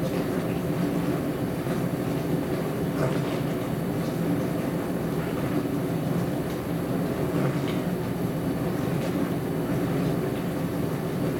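Continuous low rumble with loose clattering throughout the cycle, far louder than a normal wash; the source isn't clear.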